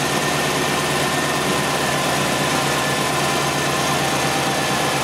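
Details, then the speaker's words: 1993 GM 3.1 with a newly installed engine computer and a brand-new battery, idling with headlights, rear defogger, blower on high and AC all on: idle stays smooth and even with no sag or hunting; the charging system is good. "okay that is with all accessories on if you think about it that's about pretty much as the maximum load that this thing is going to see"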